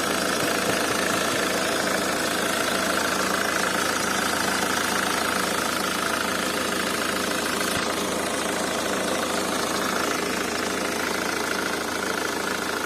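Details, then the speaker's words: 2001 Nissan AD, 2.2 YD22D diesel, 260,000 km, manual, just after a summer start: sharp metallic tick about twice a second over the diesel clatter at idle. It fades after 5–10 minutes of running; injectors suspected, unconfirmed. Metallic knock at cold idle. "nissan diesel войди 22 d металлический стук сок от пост запуска летом"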